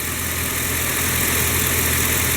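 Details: Chevy Silverado/GMC Sierra 5.3 V8 at idle, even steady rumble with the intermittent lifter tick quiet at the moment; valvetrain sounds healthy for now, ATF treatment planned, later fixed with new O-ring.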